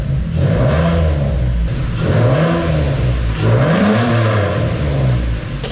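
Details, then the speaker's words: Infiniti G35 VQ35DE drift build, first running after the ECU was sent off to remove the Nissan anti-theft system that had prevented starting. The engine revs in smooth rising and falling sweeps over a steady low drone; it starts and runs normally. "all right so since we know that the car starts i feel a little bit more confident in sinking some money into this"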